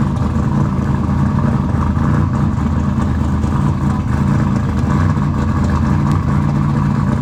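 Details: Engine just started after installing RJC V-Band exhaust gaskets: loud, steady, even burble with no ticking or puffing from the exhaust joints; sealed up and running healthy, normal.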